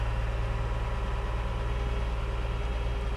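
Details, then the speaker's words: Salvage car with no headliner, keyed on, starts with no check engine light; steady, even low idle with a smooth regular pulse and no knocks or misses, a healthy engine right after starting. "I'm gonna put the key in and see what happens it says it's running drive"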